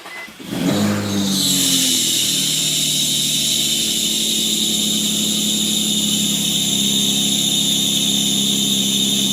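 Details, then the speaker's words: Loud, steady high-pitched squeal or whistle over the idle right after the engine starts; typically heard when the engine is cold, on sudden throttle, or with the air conditioner on, linked to alternator load; cause suspected, not confirmed. "This is one of the most common sounds out there. It's that squeaking or whistling noise. You'll usually hear it in the morning when the engine is cold, or when you suddenly step on the gas, or when you turn on the air conditioner."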